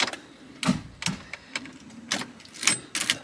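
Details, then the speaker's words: BMW E46 330i being torn down for turbo swap, coils, plugs and injector plugs removed, manual car out of gear: cranking gives irregular sharp clacks and clunks with no rotation; engine won't turn over, sounds locked up. "she don't sound good boys that sounds pure locked up right there"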